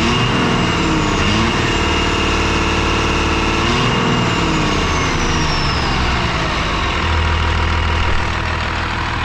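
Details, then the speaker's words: 5.9 12-valve Cummins diesel with a VE pump, sat 15 years, now hot with no blow-by: even diesel clatter at steady idle with no hunting; runs like a top; normal idle. "extremely happy right now. This thing runs like a top."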